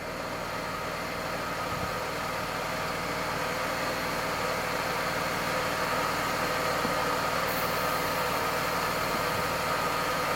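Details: Mercedes-Benz W124 E320 (M104) at idle after an engine oil, automatic transmission oil, oil filter and air filter change, with belt dressing applied. Steady, even idle around 700 rpm, no belt squeal or knocks; it runs smooth.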